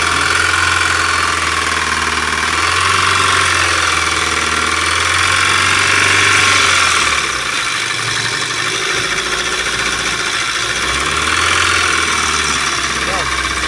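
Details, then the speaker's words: Mahindra Scorpio diesel idling with a hard, quick tak-tak knock about four times a second; on opening it up, the number one connecting rod bearing was found seized with heavy play. Rod knock. "हमने इसका chamber खोला तो ये हमने देखा कि इसका एक नंबर का कनेक्टिंग बैरिंग पूरा चिपक गया है। कभी ऐसा हुआ हो ये पूरा यहीं से साउंड आ रहा है।"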